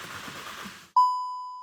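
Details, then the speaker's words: VW Golf R with ripped-off oil pan and missing oil level sensor, cranking but not starting after oil refill: faint hiss then one clear bell-like ding fading over a second, dash oil sensor service warning chime. "There we go. That's what we're getting. Oil sensor service. Okay, that could be it right there."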